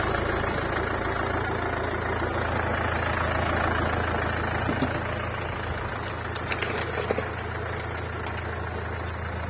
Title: MERCEDES C CLASS ENGINE KNOCK VIDEO